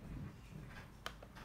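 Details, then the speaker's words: Lenovo Y50-70 laptop touchpad button after a fix for its clicker. Two faint, crisp, light clicks; left click and drag work. Normal touchpad click. "and it works so i can do the left click as well and drag pretty light clicking"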